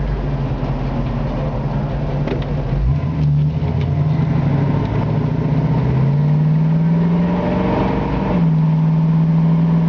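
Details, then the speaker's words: 1965 Ford Mustang convertible, rebuilt 289 two-barrel V8 with original carburetor and brand new Flowmaster dual exhaust, test drive: deep throaty rumble climbing through the gears with clean shifts, no misfires or rattles. "a nice throaty sound to the V8 a classic Mustang muscle car sound to the uh brand new flow master exhaust dual exhaust"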